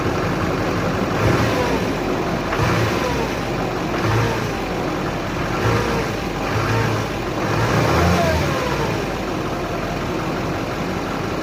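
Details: 2006 Chevy Silverado 2500HD Duramax LBZ diesel, injectors at 194K miles, first start after upper engine and injector cleaning; fires and settles into a steady idle with gentle speed swells, no misses or knocks; normal healthy idle.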